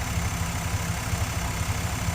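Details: 1994 Chevy K1500 with a swapped 5.7 V8 (from 4.3): deep, steady V8 burble with an even low pulse and no stumble or tapping. Healthy, smooth idle with good oil pressure.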